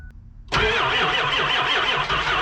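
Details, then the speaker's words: 2001 Ford F-550 7.3L Powerstroke, sat all weekend at about 0 degrees, not plugged in, glow plugs cycled: slow, labored cranking at two or three beats a second that never catches; batteries too weak, no start. "She wants to go. Batteries are too weak. We're gonna have to get another truck on this."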